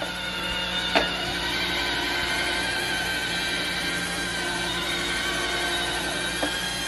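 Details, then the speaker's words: Roomba robot vacuum on carpet carrying about 10 pounds of weight: a steady high motor whir with no forward progress as the drive wheels spin in place without traction under the load. "like it's not able to move forward it can only spend it's probably gonna throw air cut any second"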